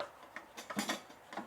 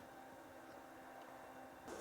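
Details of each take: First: BougeRV portable propane water heater, new out of the box, being moved: light irregular clicks and taps as something loose rattles inside the casing; source unknown. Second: BougeRV portable propane water heater on one-pound propane bottles, unboxed and tested: after a quick tap a quiet hiss, then the burner kicks in with a steady, even roar that lights at about two seconds and holds smoothly; normal burner ignition and operation.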